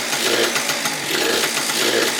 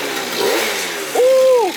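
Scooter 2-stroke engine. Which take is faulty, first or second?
first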